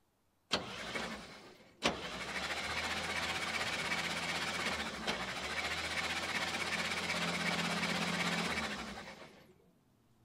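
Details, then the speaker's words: 1957 International Harvester A120 pickup, sat about 30 years, cranking after PB Blaster lubing: starter churns about four even pulses a second for seven seconds, each stroke pushing back evenly; compression sounds good and balanced. "sounds like it has good compression too"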